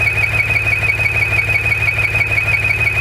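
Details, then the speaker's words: Maserati Ghibli SQ4 after 0–60 runs: shrill squeal pulsing about three times a second at steady idle, starting a couple of seconds after startup; squeal stops when dipstick is pulled and returns when reinserted; owner assumes not a vacuum leak, cause unknown. "So note, it doesn't start making the noise right away. Only after the engine's been running for, say, a couple seconds."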